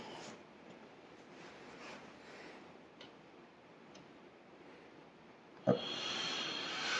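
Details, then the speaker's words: 12 V fan for a homemade metal-melting furnace, run from an adjustable power supply: a click, then a rising, steady airy rush with no rubbing. The fan is powerful, adjustable from very low speed up to its 12 V rating, and runs normally. "Queste ventole sono veramente potenti. Fanno un getto d'aria veramente potente e si possono regolare da pochissimi giri a, appunto, fino ad arrivare, io mi fermerei a 12 volt che è la loro tensione, ma reggono anche di più."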